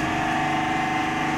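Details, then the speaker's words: Eastern Elevators lift, 20+ years old, three-phase, in derelict building recently returned to service after long outage; steady loud machine-room drone with sharp whine on top; observer says a bearing sounds like it's in agony, unconfirmed. "that bearing sounds like it's in agony."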